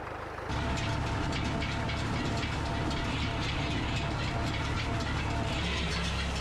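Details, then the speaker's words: New Idea 403 side-delivery hay rake pulled by a Case 730 tractor. A steady heavy rumble with a rough, uneven rattle through it; owner suspects vibration from a wobbling bad bearing that still spins. "I just think it's getting a vibration sound from the wobble and stuff that it has."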